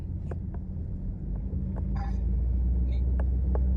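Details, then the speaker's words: 2004 Mazda 323 Protege automatic, cabin mic while driving: steady low droning howl building slightly with driving that comes into the cabin; owner unsure whether a howling wheel bearing or hardened worn tyres cause it. "รถจะมีดังเหมือนยางหอนนะครับฟังเสียงจะวึ้งๆๆอ่ะเสียงยางอ่ะเข้ามาด้านในไม่แน่ใจว่าเป็นที่ลูกปืนล้อดังหอนลูกปืนล้อหอนหรือเปล่าหรือว่าเป็นที่ตัวยางกระด้างหมดสภาพนะครับมันจะดังเข้ามาในห้องโดย"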